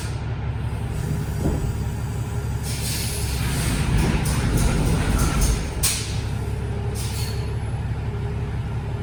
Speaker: So this doesn't sound good. Listen when he pulls forward. I wonder if he's got issues with this truck.